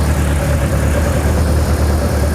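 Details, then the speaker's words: Freshly built BMW M42/M44/M47-B21 hybrid engine with Toyota ITBs and forged K20 Wiseco pistons at first start: steady, even low idle with smooth firing beat, no knocks or ticks, oil pressure showing. "Oh yeah. Oh yeah. Yes, we did it."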